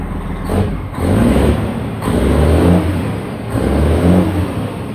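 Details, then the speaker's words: Semi truck just after its first fire-up following engine repair: diesel clatters evenly at idle and picks up cleanly on each throttle blip, no misses or knocks. Runs healthy. "[Music] sound good it does sound good don't it"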